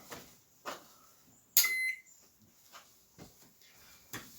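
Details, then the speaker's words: Microwave oven with broken door latch from slamming, new 15 A fuse fitted (owner unsure it should be 20 A), switched on at the wall: one short high beep amid handling clicks; power present, normal power-on beep. "Let's put it on at the wall, and it should come on."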